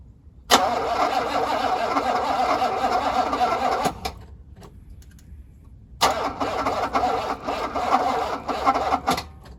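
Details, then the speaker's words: 1985 Mercedes W126 SEC, jumped with a recharged booster with fresh gas added: two spells of steady starter churning, each a few seconds, never catching; cranks but won't fire, cause unknown. "Well, it's not start right now, so I don't know what to do."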